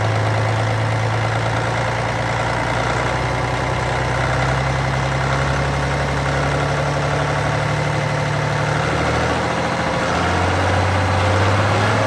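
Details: Cat C15 six-cylinder diesel, 900,206 km, 23,916 hours, running while checking blow-by: deep, even clatter at steady idle, about three firing pulses a second, no misses; idling smoothly.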